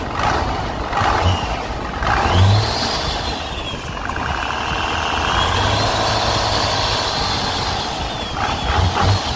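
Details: 12-valve Cummins diesel truck after an exhaust leak was fixed with new MLS gaskets. It idles with a steady low rumble and no ticking or puffing from the manifold.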